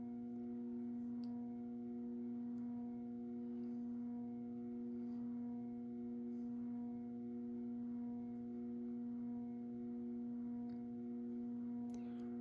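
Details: Moss Heirloom Olympus 52" ceiling fan (antique brass, cane blades, made by CEC early 1980s) on low at about 55 RPM, trim pot likely at factory setting: a steady low electrical variable-speed-control buzz hums under the fan, unchanging in pitch and very pronounced.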